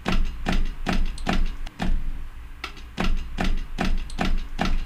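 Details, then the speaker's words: Motorola Razr foldable phone in a fold-test machine late in the test: repeating thuds about every half second, each with a rough creak. The stiffening hinge now resists folding and the noise is getting worse, so the mechanism is straining. "It's definitely making a different noise now. Is it better? It seems to be getting worse, I think, yeah."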